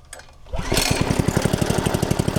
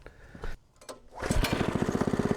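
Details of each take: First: Log splitter small engine, long unused, fresh gas: steady slightly uneven chug about seven seconds then cuts out abruptly, dies when throttle is raised; clogged carburetor jet starving fuel. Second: Log splitter's fairly new small engine, obtained not cranking, starts after its carburetor was cleaned a second time with carb cleaner: a few weak cranks, then it catches into quick, even firing and a steady healthy idle.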